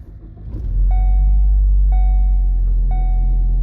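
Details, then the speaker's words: 2014 Ford Focus, 2-litre inline four, 136,115 miles, push-button start: quick crank catches into a deep, steady, even idle rumble with dash chime pinging each second; healthy start. "There it fires to life. 2-litre inline 4-cylinder."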